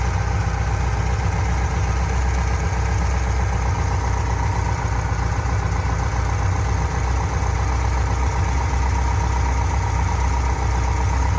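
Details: Corvette fuel-injected V8 at idle after adjusting the lifter lock nut to cure a noisy-lifter clacking; deep, even burble with no ticking or clacking from the top end, lifter noise apparently gone; normal idle.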